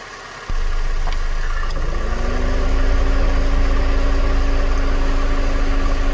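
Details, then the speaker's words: 8th-gen Honda Civic with substitute used climate control unit fitted: quiet idle, then clean AC clutch engagement brings a steady compressor hum as idle settles under load, cold air flows; normal AC compressor engagement. "now right away you could hear that AC compressor come on that's what it should be doing and sure enough cold air is Flowing out of the vent as it should be"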